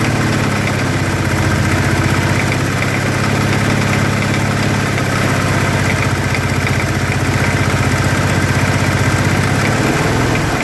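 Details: 2013 Teryx FI 4x4 LE at idle: a low, fairly even knock about three times a second over a rough idle, from either the engine or the clutch; cause unknown.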